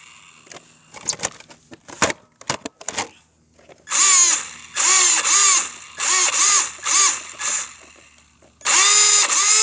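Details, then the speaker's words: RC car: repeated bursts of shrill electric motor whine swooping up and down with raspy edge; throttle gives no drive, something broken in the drivetrain. "oh god i'm pressing the gas but it's not doing nothing that ain't good oh god oh my god something's wrong with it"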